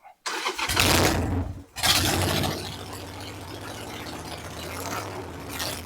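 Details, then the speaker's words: 2002 Harley Sportster 1200 V-twin: it catches, nearly dies within two seconds, then runs ragged and uneven and will not idle; bad idle air/fuel mixture screw, replaced, then adjusted until it idles properly. "I got the little sporty back. Uh, let's see if I can get it to start up. She will not idle."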